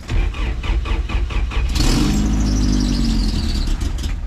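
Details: 1988 Toyota 4Runner first gen, dual transfer cases, won't idle well; stumbling crank then uneven lumpy wavering idle, usually takes three start attempts; rough idle, owner suspects weak fuel pump.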